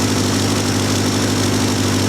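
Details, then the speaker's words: Vandiemen RF-85 with a Pinto 2L engine and a Weber DGAS 38 that replaced a DGAV 32-35, idle mixture set with an AFR gauge from about 19 down to about 14.3: steady, even idle with a smooth low hum and no hunting or stumble. Normal idle. "I've just been adjusting the idle mixture, and you can see right now that we are running a bit more rich now, around 14.67."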